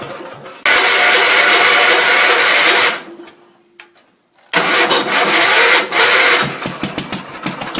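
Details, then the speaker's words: Gravely Commercial 10A Kohler single-cylinder, first start after rebuild (new governor cross shaft and gear, crank ground 10 under, new piston, rings, rod, gaskets, light hone): fires right up, runs loud and steady, dips briefly, then runs strong; healthy. "tell me that isn't awesome"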